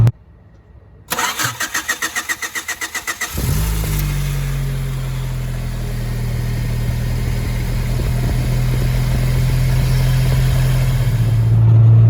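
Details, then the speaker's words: 1995 Honda Civic with distributor fault: borrowed VTEC distributor held in place while cranking; several even starter cranks, then it catches without hesitation and settles to a steady idle slowly climbing, confirming the original distributor was the problem. "What we had to do is he held it on and I fired it up, and that motherfucker cranked right up, like no hesitation."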